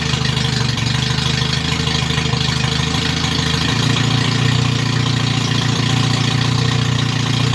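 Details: MG Midget with rebuilt twin SU carbs, no radiator, started on full choke: slightly uneven, lumpy idle that settles a little while the jet is adjusted to stop stutter off throttle. Rough idle.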